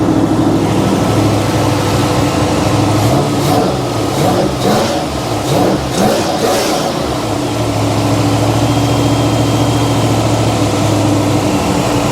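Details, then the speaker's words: Replacement vehicle's engine, warming up: held on raised revs, dips unevenly as throttle comes back and won't settle to steady idle; owner fears it won't restart if it dies. "Oh no. Some reason it does not want to idle. This ain't going to start."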